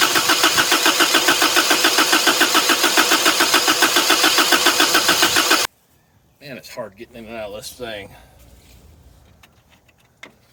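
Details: 1983 Toyota 22R, sat 20+ years, boat tank fuel supply: steady even cranking at about 3.5 beats a second for several seconds, never catching; likely fuel delivery.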